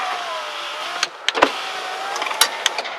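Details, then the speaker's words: 2000 Ford Expedition driver door, key on accessory, from inside: scattered sharp clicks and snaps over window motor hum as glass moves; owner suspects detached security keypad wire or loose rod inside door. "I'm going to put the window up and down and you'll hear it [Applause] clicking."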